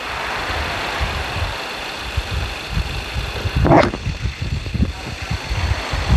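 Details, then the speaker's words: 2.2 diesel after injector repair with new valve sets and nozzle tips and reset settings, coil not replaced; low steady idle rattle, no misses or stumbles, injectors even; normal diesel idle. "ในหัวฉีดชุดนี้เราก็ทำการเปลี่ยนชุดวาล์วใหม่นะครับทำการเปลี่ยนอ่าตัวนมหนูหัวฉีดใหม่นะก็คือนมหนูฉีดน้ำมันใหม่นะครับพร้อมกับทำการปรับตั้งรีเซตค่าใหม่นะครับตามขั้นตอนการซ่อมของทางทีมงานเรานะครับเครื่องเสียงเครื่องยนต์ก็ประมาณนี้นะครับ"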